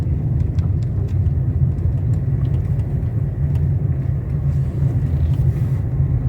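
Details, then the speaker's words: 2019 Nissan Versa after suspension repair (blown right shock, worn sway-bar link bushings, control arm with ball joint replaced): slow drive over bumps with only low, even road rumble, no knocks or clunks; previous banging is gone. "É isso aí ó ficou perfeito perfeito parece que eu tirei esse carro da Nissan zero novo novo álbum trazer não bate nada"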